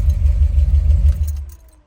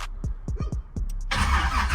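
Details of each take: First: Deep, even low throb of the 700R4-swapped car at warm idle after starting, no knocks or misses, then dropping away; no-start resolved, engine runs normally. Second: Car just fitted with a 700R4 transmission and not started for about a month: the starter turns over sluggishly with slow, uneven pulses and never catches. Battery voltage drops to about 10 V while cranking, so the battery is too low and needs charging.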